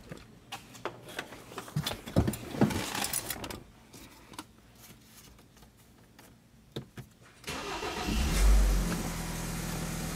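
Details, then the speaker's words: 2013 BMW X3 after crank-no-start repair, started from the driver's seat: it fires promptly and settles into a smooth, even idle with no misses or knocks. Engine sounds good, no dash lights apart from tire pressure. "So right there, as you can hear, the engine is running. The engine sounds good, okay?"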